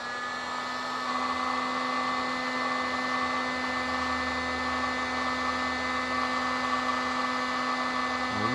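Even fan hiss with a steady motor hum and no change in pitch, nothing rattling or labouring; heat gun runs normally.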